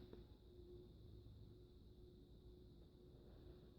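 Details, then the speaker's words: 56" NuTone Proline industrial ceiling fan, believed second generation, running on medium-low: soft, steady whoosh with a faint constant hum and no ticking or wobble. Runs smoothly. "you can see it kind of sounds like a jet end or not a jet engine but um airplane prop and kind of I guess it kind of sounds like a jet engine when it's starting up"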